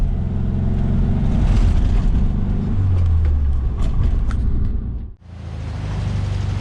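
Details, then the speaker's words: 1973 VW Beetle with new reman Bosch 034 distributor replacing Pertronix, pulling away in first gear with light pedal: engine note climbs evenly, no stumble or miss, then clean gear change; healthy running. "First gear, roll out of the clutch, and it just pulls away. No stumbles, I'm barely on the pedal at all. And it just cuts right along, almost like it's fuel injected."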